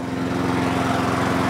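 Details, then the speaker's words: Wolf lawn mower single-cylinder engine running after a Quantum-style primer bulb was fitted, fuel cap off: steady, even speed with smooth regular beat and no misses; owner suspects a fuel cap issue. "So I put a quantum one in there, and I don't know if you can hear it in the background, but she's now running."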